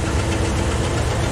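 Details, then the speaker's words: Truck rough idle with clattering tick over the rumble; mechanic diagnosed stuck valve, fuel pump fine; listening with a hose traced the racket to cylinder number two on the left bank; soaking in the treatment liquid. "it turns out the number two on the left is the one making the racket so it is the uh it is the uh the valve"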